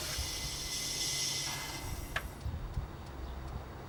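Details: Audi A4 B6 2.0 20V petrol engine (ALT) at startup: loud, harsh rattling hiss dying after two seconds into uneven clatter, despite a new chain tensioner; cause unknown.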